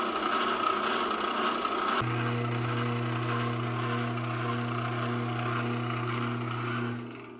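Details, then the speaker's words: Old drill press after fixing the tensioner, rewiring and realigning the motor, with washers on the pulley, run at its slowest speed setting. Smooth steady hum and belt whir, then a quiet coast-down; it runs fine. "So, the speed should be at its slowest setting when I turn this on. Top one is the motor. >> [snorts] >> All right, that's not bad."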